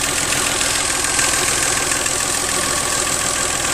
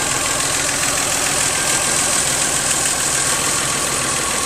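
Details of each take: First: 1997 Geo Metro: a faint light tick, roughly three a second, rides over the small engine's steady idle, plus a tiny whisper; source unclear. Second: 1997 Geo Metro with weak compression on some cylinders: steady, even idle under a constant hiss, one small tick noted, no knocks, misses or rattles; healthy.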